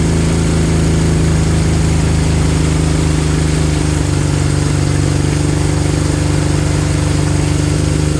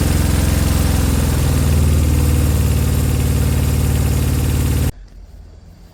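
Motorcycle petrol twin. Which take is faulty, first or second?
second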